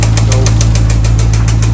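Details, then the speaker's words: Trackhawk Hemi V8: sharp metallic knocks about seven a second over a deep idle, increasing with revs; rod knock from rod bearing failure, with metal shavings found inside. "if it's a rod knock? uh differently from like a top end failure referring to the cylinder heads is if if you rev it and the knocking sound increases."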